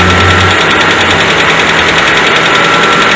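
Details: 2010 Citroën C3, 16-valve automatic, warm engine at idle, high fuel consumption complaint: dull bottom-end knock about three times a second under the engine hum; oil pressure test found pressure below spec.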